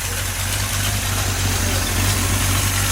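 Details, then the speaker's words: 283 small-block V8 for a 66 Chevy truck just started on the engine stand, cool morning, about 50 psi oil pressure, 600 rpm: steady, even smooth low rumble, no knocks or misses; running healthy. "And pumped the gas 2 times and it fired right up."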